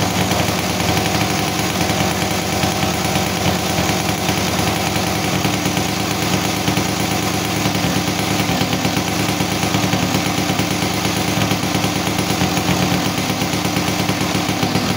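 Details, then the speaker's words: Yamaha Sigma two-stroke motorcycle after carburetor refit and sealing, to address a plug that kept flooding and fouling: steady, even idle with a crisp regular popping beat and no misses; engine runs freely with good power again. "oke ya teman-teman eh motor udah enak kembali ya jadi tenaganya juga enak nih jadi di Udah Ee udah kedengaran ya jadi dari suaranya juga enak ya lepas gitu kan"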